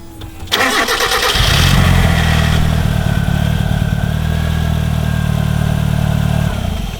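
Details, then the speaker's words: Project car after a crank trigger sensor was fitted and the timing belt adjusted, which threw the ignition timing out: cranks and catches, then a loud lumpy idle with uneven pulses that never smooth out; incorrect ignition timing. "we had a crank trigger sensor put on and the timing belt adjusted and everything. It's thrown the timing out."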